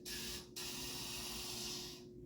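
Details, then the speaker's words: Anesthesia machine rebreathing system after surgery, pop-off valve open and O2 turned off: sharp steady hiss of gas for about two seconds then fading; normal oxygen flush purging residual O2 from the circuit. "so after surgery it's done you will have the pop-up valve up and you want to turn off the O2 and you want to flush the system"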